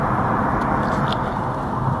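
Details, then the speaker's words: 2020 Ford Ka 1.0 sedan road test after replacing the right front shock absorber with worn rod guide: steady road rumble, no clunks or knocks; right-side suspension noise gone. "acabou aqui o barulho que tinha aqui do lado direito"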